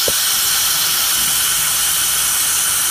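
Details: Truck diesel (2004), hot no-start diagnosis, microphone lowered right above the injector bore, apparently number five: steady sharp hiss with no rhythm, high-pressure oil escaping past a missing injector O-ring. High-pressure oil leak at injector.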